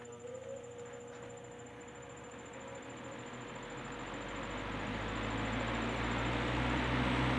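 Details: Rebuilt Wizard window box fan (bearing caps transplanted from a Lakewood X 22) mounted in window facing outward, pulling air in: steady even hum building smoothly with rushing air, no rattle or chatter; blowing a tremendous amount of air, normal running.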